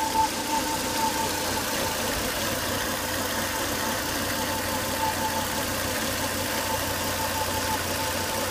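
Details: Volvo S80 2.5T idling after 10–20 minutes running: thin constant whine over the engine, strong vacuum sucking at oil cap; caused by failed crankcase breather box/filter, solved by replacing it.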